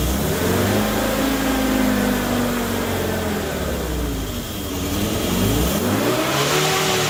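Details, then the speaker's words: Morris Minor 1000 van engine with Judson supercharger and one-barrel carburettor, first start after install: revs up and down with pitch-shifting whir over exhaust, very rattly, carburettor sucking; unfamiliar noises, source not pinned down. "well that's a whole new cacophony of sounds wow that i have never heard before but i've been told that this thing was gonna be noisy and it is it's very rattly"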